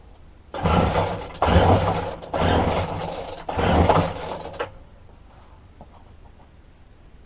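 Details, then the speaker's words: Roadside-dumped McCulloch two-stroke strimmer with broken tank-to-carburettor fuel line, fuel poured into the spark plug hole: fires and buzzes in short bursts for about four seconds, then dies from fuel starvation. "straightaway I can see that the fuel line from the fuel tank going into we're up towards the carburetor is broken"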